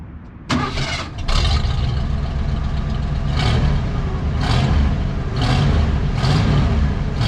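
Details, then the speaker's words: Old Ford F-150 V8, formerly seized engine: cranks and runs lumpy with uneven surges because the spark plug wires were in the wrong firing order; after swapping to 1-5-4-2-6-3-7-8 it runs halfway decent. "idiot oh I'm an idiot gosh the firing order was wrong"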